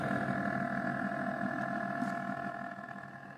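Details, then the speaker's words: Rise Mode 240mm RGB water cooler pump, about 3 months old, noise growing over two months; already repositioned, shaken to clear air, reinstalled: steady mid-pitched drone and constant hum, loud even with the side panel on; cooling fine, cause unknown. "e o som ele fica extremamente alto sem o o vidro lateral mas se eu colocar o vidro lateral e me aproximar ainda vai sair muito som"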